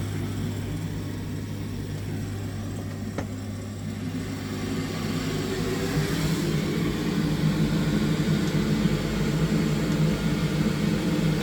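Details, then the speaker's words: Glow-worm Ultracom boiler showing F13 fault, tested after the faulty second board was replaced with a new one: steady low fan hum swells slightly as it spins up, smooth with no rattle or squeal; fan running normally, repair successful. "right I hear the Fant running so that's a good sign"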